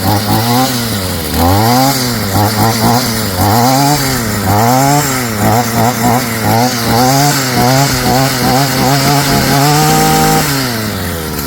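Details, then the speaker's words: STIHL FS55 string trimmer two-stroke after new carburetor kit install, on choke without air cleaner: revs cleanly up and down several times with crisp throttle pickup and a steady idle between; running healthy. "See how it runs without the air cleaner. Not bad. Sounds good. Idling at a decent idle or RPM."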